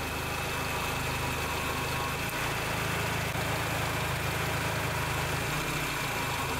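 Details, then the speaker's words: Honda Accord Maestro, idle set to 800 rpm, after fitting an NE555 12 V delay relay to the AC compressor clutch: idle lifts about 50 rpm and holds as the compressor engages, no dip or stumble; normal idle with AC on. "it's nice to hear it sounds good huh .. he didn't go down first .. but he just went up a little like that .."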